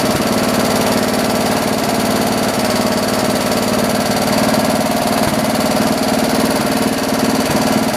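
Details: John Deere 112 round fender tractor with a Kohler K181 single-cylinder, after governor and throttle assembly adjustments: a fast, even putter at steady pitch with no surging. Running normally; the owner thinks the idle needs lowering a little.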